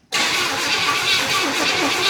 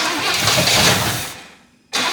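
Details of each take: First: 1977 Pontiac Grand Safari wagon, 301 V8, parked 30 years, cranking with oil pressure before fuel is added: steady, evenly spaced cranking beats with no galloping. Compression sounds even across cylinders. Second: 1977 Pontiac Grand Safari wagon, 301 V8, parked since 1996, fed by pouring fuel into the float bowl with no output from the fuel pump: catches, runs briefly, dies twice, restarts unevenly; carburettor suspected completely plugged.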